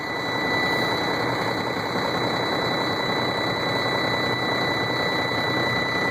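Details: Sterling roll-off semi truck, cold start in freezing weather: steady high-pitched buzzer over a rough, even diesel idle. It shuts down about every 30 seconds unless an override button is pressed.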